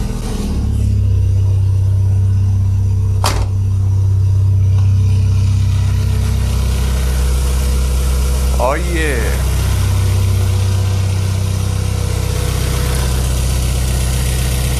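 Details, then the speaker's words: Mazda MX-5 Miata drift car, restored engine refitted, coolant refilled and bled, no leaks: smooth even idle with one throttle blip, good throttle response; healthy. "bon ben voilà rien à signaler je suis même surpris de la réponse à l'accélérateur il a l'air"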